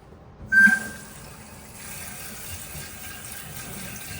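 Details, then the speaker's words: Toilet tank refilling normally right after replacing the fill valve and turning the water back on: a short squeak, then a soft, even hiss of water flowing steadily into the tank, much better than the old noisy, slow-filling valve. "Oh yeah, that's way better. You just hear it flowing."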